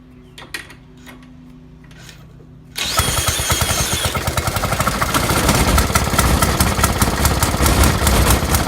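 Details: 1916–1918 Maytag 1/2 hp single-cylinder engine, first run in two or three years, after flooding: dead quiet, then catches and settles into rapid uneven popping near 146 a minute; firing normally.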